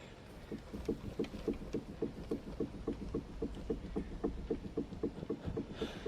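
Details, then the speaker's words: Ford Puma Mk1 front lower control arm (wishbone) rocked by hand: quick hollow clunks, three or four a second, from play in the worn lower ball joint, before control arm replacement. "So, if you can hear that, there's like there's like play there's like play in in the wheel bearing. not the wheel bearing, sorry, the ball joint uh inside of here."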